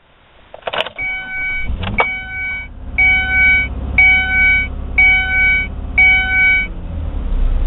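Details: 2001 Ford Escape V6 after replacing the idle air control valve, no fault code ever set; before the fix it would not idle and died off throttle: quick crank and catch over door-chime beeping, even idle without hunting; healthy.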